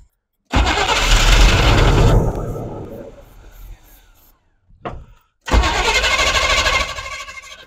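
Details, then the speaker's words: Squarebody utility service truck V8, old fuel gone yellowish like kerosene, vacuum leak heard. It catches and roars a few seconds, then fades and dies, twice; owner suspects no fuel supply, running only on carb cleaner. Engine starts then dies. "I don't know that it's getting fuel I think we're just running off of the carb cleaner"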